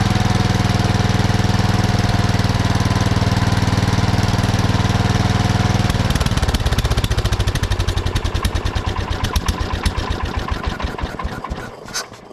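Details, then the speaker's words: 1979 Kohler K301 12 hp single-cylinder after carburetor readjustment: strong, even chug, runs well wide open, then winds down to a stop after shutoff; throttle shaft slightly affects idle, otherwise normal running. "so that throttle shaft is effective ing our idle a little bit but it still runs pretty good when it's wide open so I think we'll call that good"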